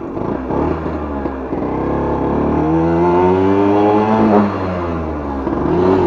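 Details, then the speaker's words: 1963 KTM Ponny 2 two-stroke scooter, idle set low and running a bit rich: small two-stroke buzzing and revving with pitch climbing and no shift drop; stuck in first, second gear won't engage. "Ah, j'arrive pas à passer la seconde."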